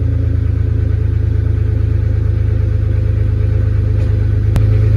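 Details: 2004 Jeep Grand Cherokee 4.0 at steady idle just after a new Flowmaster muffler and tailpipe were welded in (the old tailpipe had rusted off at the hanger; THOR cold air intake fitted): deep, even exhaust burble, no rattles, ticks or leaks; normal exhaust note.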